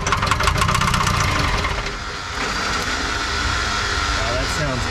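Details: 1984 Lull Highlander 3 model 622 telehandler, small four-cylinder diesel sat about 20 years, started on starting fluid: harsh knocking about four a second as it catches and stumbles; starter also disengaging.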